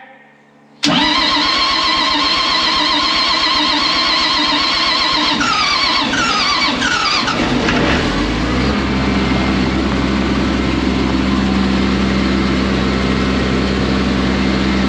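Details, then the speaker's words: Combine out for wheat: starter cranks about six seconds before it fires and settles to steady idle; hard starting, not the relay that sometimes loses connection, since the fuel pump was heard, likely just dry on fuel. "that did not have anything to do with ah the relay because you could hear the fuel pump turning on right I think it was just dry on fuel a little bit and it needed to be turned over a couple times"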